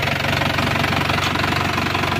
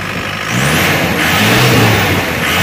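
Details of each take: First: Isuzu Panther turbo pickup after total restoration (engine and injection pump set, turbo replaced, fluids flushed), previously stalling often: steady, evenly spaced diesel firing pulses at stable idle, no misses or harsh clatter; normal diesel idle. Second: Isuzu Panther turbo diesel pickup revved hard: revs falter and stutter, rough sound, because the injection pump's one-way valve (appears non-original) closes under big throttle and starves fuel; valve replacement recommended.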